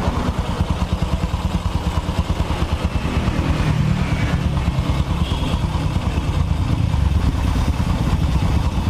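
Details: Honda Supra X 125 single-cylinder after engine rebuild, idling after a hard full-throttle test ride; steady low putter, regular beat, no knock or tick; normal idle.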